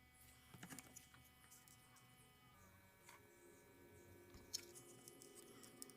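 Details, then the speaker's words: RGB gaming PC case fan with a sealed bearing, tested before repair, vibrates and makes a strange sound: a quiet steady hum with layered buzzing and light clicks from a dry, sticky sleeve bearing with old grease and dust. "Testing noisy gaming fan – let’s fix it The fan vibrates and makes a strange sound"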